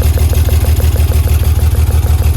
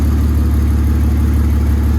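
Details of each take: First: BMW E36 whose ECUs kept frying, idling lumpy at about 190 beats per minute with a rhythmic stumble; cylinder 5 misfiring, rear injectors found unplugged, fuel smell and smoke; misfire from a faulty injector wiring harness. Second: BMW E36 with swapped E46 323 engine and Z3 engine harness, earlier misfiring from a failed ECU injector driver, running after repair: steady even idle with smooth regular pulse, no stumble; normal idle.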